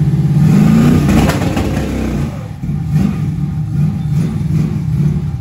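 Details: Junkyard LM4 aluminum 5.3 LS V8 on a run stand with the stock cam, before the cam swap. A deep rumble rises on a quick rev, then drops back to a steady, smooth idle; runs healthy.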